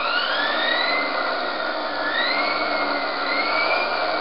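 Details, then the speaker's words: Series-wound brushed DC motor driven by Kelly Controls KDZ48400 controller after main contactor clicks on; loud whine rising and dipping as the throttle opens and closes; motor revving normally. "I'm going to start it now, so I'm going to turn the throttle. We'll open the throttle. Pretty loud."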